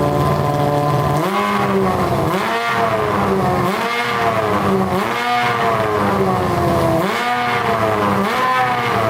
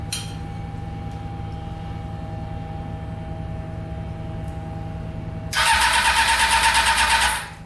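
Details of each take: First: Honda CBR600 inline-four engine in a custom go-kart, on a gravity-fed gas tank: repeated clean rev blips climb and drop back with no stumble or popping. It revs out fully and all cylinders are pulling evenly. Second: Honda CBR600-engined go-kart with four carburetors, starting once the leaking carbs stopped leaking: cranking, then rough pulsing roar with popping as it spits back through the carburetors; cause unknown.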